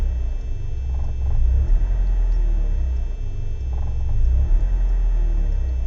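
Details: BMW 318is E36 coupe, M42B18 petrol engine, rough idle cold or warm: low, lumpy idle swelling and sagging every few seconds; smoke and higher fuel consumption, no leaks, ICV and MAF already cleaned; cause unknown.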